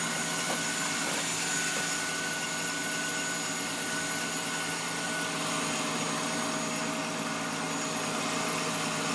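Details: Thin, constant high whistle over a steady engine hum at fast warm-up idle, heard through the closed hood but not with it open; it goes away when warm-up revs fall; source unknown.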